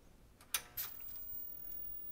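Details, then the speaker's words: 1992 Sony PVM-1343MD Trinitron CRT monitor, bought as not working, after fuse check: sharp click, short crackling swish as the tube energises, then quiet; powers on normally. "and look i can already tell it's powered on you hear it got power to the tube"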